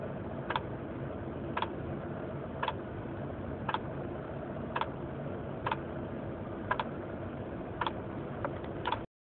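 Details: 1996 Honda Accord LX manual with a steady light tick about once a second over a low rumble, unchanging throughout. The source of the click is unidentified.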